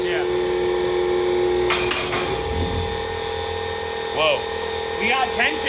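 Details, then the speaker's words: Newly assembled Bendpak car lift, raised, not yet bolted down: steady pump hum with safety lock clicks landing a moment apart instead of together; locks out of sync and need adjusting. "So you can hear the locks clicking at not the same time. We got to adjust that,"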